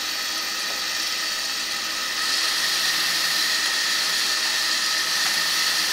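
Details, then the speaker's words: Bendix MG-1 Central Air Data Computer, analog mechanical jet fighter computer, running on a bench after restoration and capacitor replacement: fine, steady high-pitched whir of small spinning gears with faint regular ticking; normal, healthy servo gear train. "Oh, yeah! Things are spinning in there, although it's hard to see. You hear it more than you see it."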